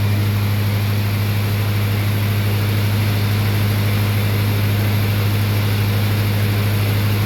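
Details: Lincoln SA200 welding machine after carburetor rebuild with new kit: even, steady low drone with no misses, knocks or surging; engine holds smooth, settled speed and sounds healthy.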